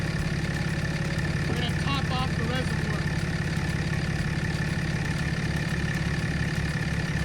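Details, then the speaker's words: 2007.5 Dodge Ram 2500 6.7 Cummins diesel (EGR deleted) after water pump and coolant replacement: steady, even diesel clatter at idle, no knocks, squeals or rattles. No noises or leaks; normal idle. "it is running good there's no noises there's no water leaks i am happy that it's done"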